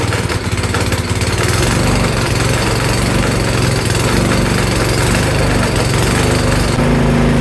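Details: Cub Cadet 524 snowblower single-cylinder engine, previously running rough and smoky, running after carburetor cleaning in cold weather; steady, even low chug with no hunting or stumble, running smoothly.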